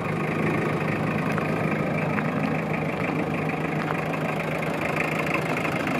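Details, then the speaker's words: 1991 Mazda Bongo 4WD turbo diesel, started after glow plug light: steady, even diesel clatter at idle with no misses or surges and no smoke; normal idle. "we'll walk around here a little bit with the engine running so you can hear it but it runs absolutely fantastically strong absolutely no smoke"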